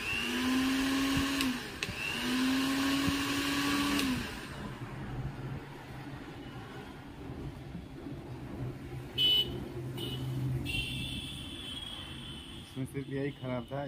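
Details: Mixer grinder motor after brush work and reassembling in its body: about four seconds of steady high-pitched whine at constant speed, then shuts off; normal motor run.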